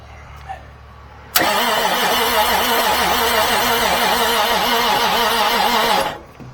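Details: 1989 Marmon truck diesel, pressure-washed, fuel solenoid manually opened: starter grinds the engine over slowly and unevenly at about two beats a second, never catching; it sounds like knocking and the fan isn't turning. Slow crank, no start, cause unconfirmed.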